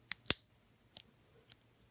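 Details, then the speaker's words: Early-1990s Shimano Deore LX 7-speed Rapidfire shifter, just reassembled and greased: crisp sharp clicks, about six over two seconds in a quiet room; the ratchet is indexing cleanly and healthy. "greasy hands but you can hear it clicking and you know it's a good sound a good sound"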